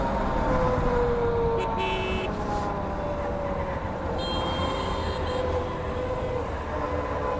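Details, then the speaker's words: Motorcycle while riding, microphone inside helmet; steady airplane- or helicopter-like droning whir over engine and traffic noise, rider suspects chain or something else, cause not confirmed; whirring drone. "I feel like this sound is coming from chain or other something."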